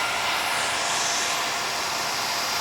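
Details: KTM dual sport motorcycle, newly installed switch-operated 2-wire 120mm PC case fan getting air out of the radiator, heard from the other side. A smooth, constant rush of air with no rubbing, ticking or wobble: normal cooling fan operation.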